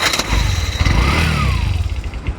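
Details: Bajaj BS4 motorcycle self-starter after repair, following a new starter and new carbon brushes that still cranked slow: brisk full-speed whir, quick thumps, engine fires and runs; normal start.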